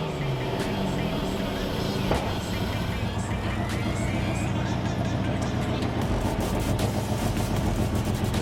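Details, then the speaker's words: Magna with a stock 3-litre V6 that sat unused for a year: a rough, lumpy idle with stumbles that never settle, running on fewer than six cylinders. The cause is unconfirmed; leads, spark plugs or the MAF sensor are suspected. "So as you can see, more, as you can hear, this thing is not on 6 cylinders anymore, so we need to figure out why. It could be leads, it could be spark plugs, it could be, well, it could even be the MAF sensor."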